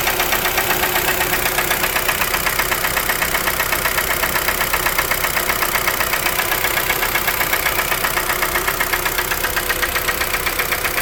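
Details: 2012 Kia Forte 2.0L petrol engine at idle with a steady even knock two to three raps a second, started around 166,000 km and driven another 4,000 km; suspected piston slap, not confirmed.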